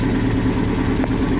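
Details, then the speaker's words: 2006 Nissan pickup after replacing the worn rear driveshaft universal joints, rear wheel jacked up and spinning in gear: even, smooth hum with no clunk or squeak; the road noise from the rear is gone and the driveline is normal. "Gracias a Dios un trabajo más realizado como pueden escuchar ya no hay ningún ruido"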